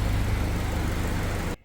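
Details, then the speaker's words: 1948 Willys CJ2A four-cylinder, first run after a frame swap to a used Willys M38 frame and a new carburetor rubber piece: low, even rumble with a steady beat and no knocks or misses before it cuts off; idles smoothly, like a sewing machine. "Well, she's running. Sounds like a sewing machine."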